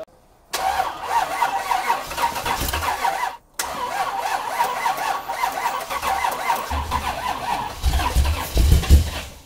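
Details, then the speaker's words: 430 HP 383 V8 square-body Chevrolet C10 with aftermarket fuel injection, fuel pump above tank losing prime, battery jumped; long cranking with sputters and dying catches before struggling to fire; hard starting, fouled plugs also reported. "she's trying to come alive yeah i'm surprised at how much trouble it's having starting"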